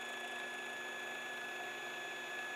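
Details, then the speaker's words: Baratza Vario coffee grinder running with the mic held close at the touch point: steady motor whine with a thin high chirp as the burrs rub; burrs touching. "so when you hear that chirping that's when you're at the touch"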